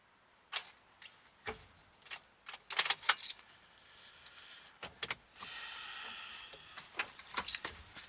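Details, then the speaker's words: 2006 Honda Odyssey, engine off, key at start: scattered clicks, brief fizzing buzz and CD player noises; won't start due to low voltage from internally separated battery terminal, fixed by new battery. "try to turn some sort of buzzing ignition position two CD players making funky sounds"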